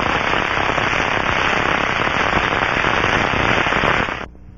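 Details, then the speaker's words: Bearing heard through an ultrasonic probe's headphones: dense, sharp, irregular crackling with no smooth rushing underneath; crackling indicates a failing bearing, where a good bearing gives a smooth rushing sound. "this is the rushing sound of a good bearing is heard through the ultr probe's headphones crackling sounds indicate bearing"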